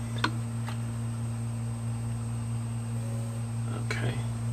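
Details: 500GB hard drive powered up on an imager after replacement heads were installed, following frost crystallization on the platter from freezing: low steady platter hum with faint ticks and no clicking or grinding. The heads took, normal spin-up.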